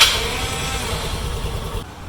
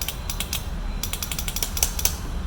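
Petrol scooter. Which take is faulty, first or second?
second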